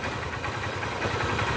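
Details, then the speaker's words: Hero Honda Hunk motorcycle after tappet adjustment: even, steady idle with regular soft pulse and no top-end ticking; valve clearance sounds right. "ඔයගොල්ලන් කිසිම සද්දයක් නැහැ. ඉතලා කට සද්ද මුකුත් නැහැ. ඒකේ ස්මූත් අයිඩල් එකක් ගන්නට තියෙනවා."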